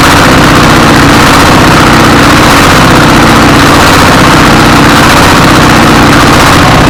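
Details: 24 HP single-cylinder diesel S1115 with hunting idle, speed rising and falling unstably, with thick black smoke; uneven thumping; governor reportedly fine, injection pump suspected.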